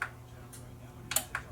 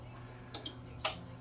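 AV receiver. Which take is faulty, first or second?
second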